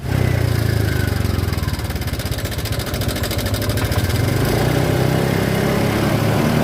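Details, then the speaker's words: Honda Vario 125 scooter after a tensioner repair for a rough noise; steady, even idle with clean rev blips, no knocking or rattle: noise gone, normal idle and revving. "Oh iya mantap ya sudah hilang suaranya nah Hai sudah halus"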